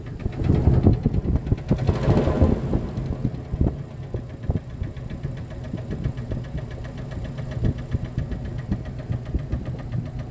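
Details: Jeep Cherokee XJ facelift, 2.5 L four-cylinder petrol engine, skirt broken off the piston in cylinder two: deep, uneven knocking at roughly two to three beats per second over a rough low idle; piston slap from broken piston skirt.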